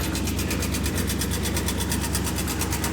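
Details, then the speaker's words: Rusty Chevrolet Landau box Caprice just bought: steady idle with fast even tick about twice per second; owner believes noise is between flex plate, starter and torque converter, unconfirmed. "I said, that noise is something between the flex plate, starter, and the torque converter."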